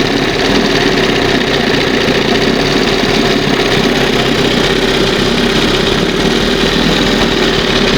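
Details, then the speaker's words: 1971 Johnson 20 HP two-stroke outboard warming at fast idle in test tank: steady but slightly heavy, lazy burble; still leaving unburned oil and gas in water after flushing; rich running from oversized (wrong) high-speed main jet. "See, there's still I'm still getting unburned oil and gas in here after I just flush this thing out."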